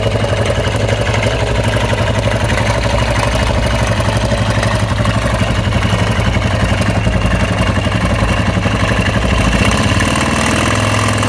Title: Husqvarna SM610 engine strange noise